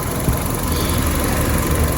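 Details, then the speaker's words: Fiat 500 Lounge (Cat S) idling after a drive up to running temperature, oil leak cured despite a garage's blown-gasket claim: smooth, even low hum with no ticks, knocks or misses; engine runs spot on, normal idle. "as you can hear and as you can maybe see the engine runs absolutely spot on now no problems at all"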